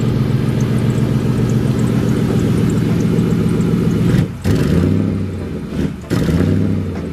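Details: Turbocharged 2003 Mercury Marauder 4.6L DOHC V8 at start-up, said to be running really rich: loud, lumpy idle with uneven pulses that twice dips and nearly dies before recovering. Rough running and cutting out.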